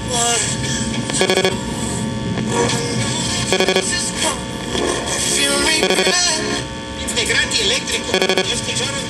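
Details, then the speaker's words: Late-1950s West German Grundig Majestic 3035W all-band tube radio under repair, signal tracer probing FM IF stage output: repeating bursts of harsh electronic buzzing from a nearby cell phone picked up by the high-gain tracer; cell phone interference. "That noise is the That is the phone. That is the cellular telephone doing that."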